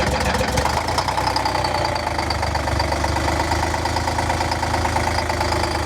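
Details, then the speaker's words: Bus diesel just after cold start, cylinders lighting progressively, heavy smoke: rough loud idle with knocking clatter over low rumble, engine visibly wobbly, still missing a cylinder or two; best cold start in a year. "that sounded like that was running on at least four or five cylinders there it was still missing a couple you can tell because this is really wobbly"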